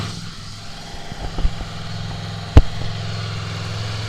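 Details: Honda VFR800X Crossrunner V4 motorcycle just after a cold start in neutral, microphone held close: deep, even burble with a steady low rumble, no knocks or rattles apart from one stray click; normal idle.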